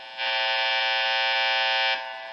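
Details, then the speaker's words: Telecaster-style guitar through amp modeling: harsh bright electrical buzz swells about two seconds then drops when touching the neck pickup case; neck pickup ground disconnected and cover ungrounded. "I noticed that when I get to the neck if I touch the ring which is supposed to be grounded which it doesn't seem to be fully grounded well if I touch the case of the neck pickup"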